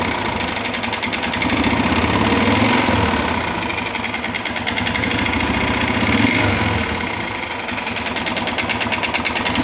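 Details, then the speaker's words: 2011 Honda Fan 125 run low on oil, before disassembly: a rattling metallic clatter that swells as revs rise and fall. Disassembly found the cylinder and piston worn from lack of oil. "deu para ter uma noção aí do barulho do motor"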